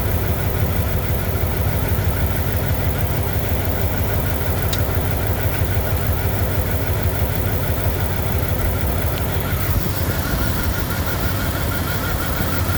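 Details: 1998 Dodge Durango single-cam V8, not yet warmed up, idling after timing chain replacement for a P0300 misfire. The idle is steady and even with a smooth low rumble and no ticking or knocking. A timing light confirms timing is right on, a good fix.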